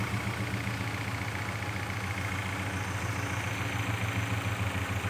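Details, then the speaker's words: BMW E39 M5 S62 V8 track car, just after an oil change that drained milky oil, idling cold before warming up to recheck the oil; a steady, even low rumble with no knocks, misses or shake, idling smoothly. "just sounds like European [Applause] Bliss we'll let that warm up and then we'll double check the oil and do those things"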